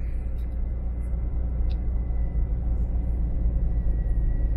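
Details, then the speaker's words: Jeep Cherokee XJ after reprogramming a Strike aftermarket key with DRB3: security light goes out, engine starts and holds a low, steady, even idle with no stumble or cut-out; the immobilizer accepts the key and it runs normally. "écoutez, ça fonctionne. Excellent, ça fonctionne."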